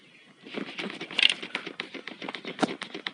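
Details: Hyundai Accent passenger seat removed and shaken: rapid, irregular light metal clicks and rattles from play in the seat slide rails; fixed with heat-shrink tubing on the rails.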